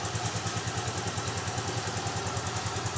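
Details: Yamaha Freego scooter after a smart-key ignition that wouldn't turn was fixed by repairing the existing SCU (no new parts): steady, even low putter at about three pulses a second, no misses or knocks; clean normal idle.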